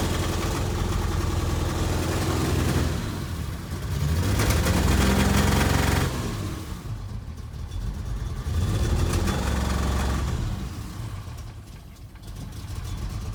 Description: This video shows the engine cannot rev above about 300 rpm